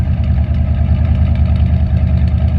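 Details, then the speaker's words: Buick ("Bluick") V6 idling after first start of 2024 following months sitting, started ice cold, now warming with thermostat barely open and smoke subsiding; low drone with occasional uneven stumble, owner suspects misfires. "it sounds like misfires to me"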